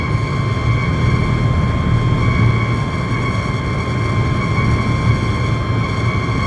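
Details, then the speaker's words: Car at about 120 km/h: steady high whistle holding pitch over road rumble, gone at 100 km/h and back at 120; loose window trim whistling in the airflow. "ทำความเร็วร้อยหายไปแล้วแต่ต้องวิ่งเร็วครับ120ก็จะกลับมาใหม่ครับ"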